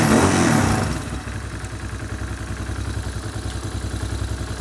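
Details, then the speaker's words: Hawk 250 Chinese carbureted motorcycle, crashed and sat a year: engine revs, sags abruptly as the throttle closes, then falls into a lumpy, uneven idle. It stumbles off idle; owner suspects the carburetor's bottom adjustment screw. "Okay, so stumbling off idle. That is probably that screw down at the bottom."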